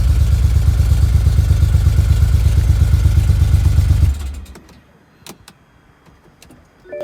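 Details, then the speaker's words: BMW N54 E91 335i wagon with a bad misfire, code showing a cylinder 1 misfire: a deep, lumpy idle with a steady stumbling thud, then the engine is switched off. "now we have a misfire let me show you what the car sounds like the misfire is really bad"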